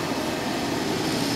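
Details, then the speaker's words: Kerosene heater running off a small modified sine wave inverter: steady even burner and blower roar, no pulsing, sputter or surging; burns the same as on wall power. "as far as I can tell it burns exactly as plain as it did before works it really well"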